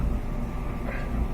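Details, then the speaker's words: Whirlpool Duet dryer after replacing the screeching idler wheel: steady low drum rumble with no squeak; the squeak came from the inside metal bearing surface; dryer back to normal. "there we go no more squeak"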